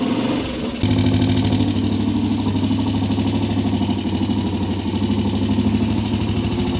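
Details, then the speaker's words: Single-cylinder 200cc four-stroke vintage British race bike, warm after a cold start that takes about ten kicks: even thumping idle with a steady beat and no knocks or rattles; normal running before a test ride. ">> Yeah, she runs fine. >> It sounds good. >> Yeah, it does for this little thing."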